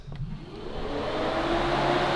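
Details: Radiator fan on a 1000 hp Honda build, switched on from the CAN keypad through a newly finished relay: a smooth whoosh swells as the fan spins up, then settles into an even rush with a faint steady hum. The fan is working properly.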